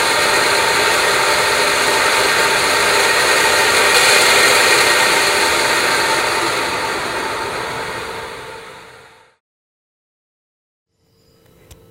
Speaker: First off we're going to show you just some basic turbulent flow noise.